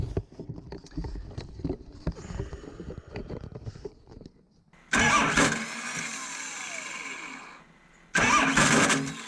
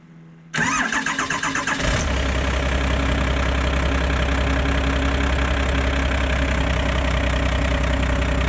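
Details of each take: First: Starter on a 2004 Ford F-350 with a swapped 12-valve Cummins diesel, worsening over about two months: two harsh grinding bursts while cranking, engine not catching; starter failing, replaced with a 6.4 starter. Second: 2004 F350 with a swapped-in 1997 12-valve Cummins, new 6.4 starter just fitted: quick brisk cranking for just over a second, then the diesel catches right away and settles into an even, steady idle.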